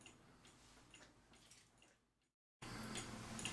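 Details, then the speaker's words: Pre-WWI cuckoo clock, case leveled on its right side after the works were serviced: soft, even tick-tock at about three beats per second, showing the movement runs in beat. "and that will give me the ticking properly in which you can listen to it and see if it's uh the beat is on a nice tick-tock sound to it"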